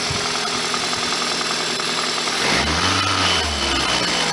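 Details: 1999 Toyota Celica ZZT231, after refitting the cold air intake pod filter, idling slightly high when warm: steady petrol idle with an even hum and a smooth rev blip, no hissing or stumble; runs normally.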